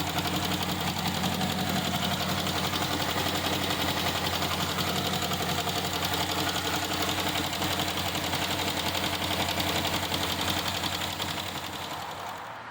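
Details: 2012 Chevy Caprice PPV 6.0 LS V8, one month after DOD delete with stage 2 cam, new lifters and rockers, cold start, no misfire codes: fast even tick about three per second, louder with RPM, seemingly from driver's side valvetrain.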